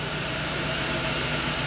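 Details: Chevrolet Agile petrol engine idling with a slightly uneven low beat, misfiring and shaking despite new coil, leads and plugs; timing belt position checked with oscilloscope and found essentially in time.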